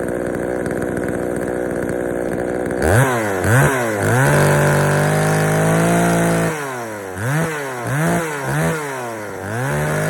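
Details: Poulan 3000 chainsaw, brought in not running, serviced with old dirty fuel drained and fresh fuel added; idles unevenly then revs in repeated sluggish, burbly blips, running slightly rich on the low-speed mixture, to be adjusted.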